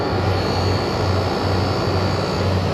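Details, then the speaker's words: Refrigeration unit after condenser coil replacement, king valve closed, pumping down to pull the remaining gas from the recovery tank: a steady, even low compressor hum with no knocks or rattles, normal pump-down. "I closed off the king valve I'm pumping the unit down right now to suck all the gas that's left in this tank out"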